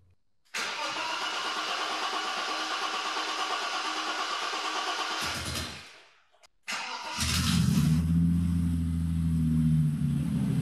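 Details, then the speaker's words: BMW E30 325i Touring restoration after a new fuel pump, fuel filter, air and oil filters, spark plugs and HT leads: starts and idles lower but hunts and feels unhappy; owner suspects the pedal box or throttle cable. "it's definitely idling at lower RPMs but it still feels a bit unhappy under"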